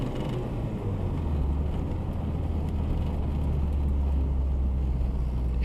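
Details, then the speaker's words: RHD Acura Integra GS-R DB1, revived after sitting for years, with the engine finished, new brakes and steering components: steady low engine drone while driving, with road and wind noise, no knocks or misses; drives really well, engine healthy. "really well. The engine sounds good."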